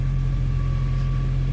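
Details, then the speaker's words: BMW E46 M3 at idle, throwing pending too-rich codes on both banks: heavy, steady low rumble with strong exhaust vibration; exhaust leak confirmed by dripping at the upper flange, and owner blames a poor previous exhaust job. "super vibrating from the exhaust. So whoever did this, I don't think they did it right. I think it's for sure exhaust leak."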